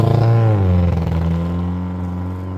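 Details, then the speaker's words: Cheap Honda Civic while driving: the note sags and wavers in an intermittent stutter. It is fine after starting, then stutters. Owner first thought fuel injectors, then suspected spark. Misfire. "And I've actually been driving it for about a week like that. And it only does that intermittently. Once you start it, it's perfectly fine, but then it gets into a stuttering."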